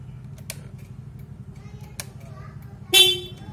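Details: Yamaha NMAX horn after replacing the dropped battery with the same factory-type one; the horn had been weak and the starter dead before. Quiet background, then one short, loud, clear toot: a normal, strong horn.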